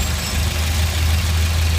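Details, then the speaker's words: Volvo 740 with 107,000 miles, just after distributor, cap and rotor replacement; low, even idle with a steady beat and no misfire, a slight oil smell, and an odd sound the owner suspects is the belt. "It might be burning a little bit of oil right now because, you know, when I opened that thing, a little came out, so I do smell a little bit of oil. But the engine sounds alright."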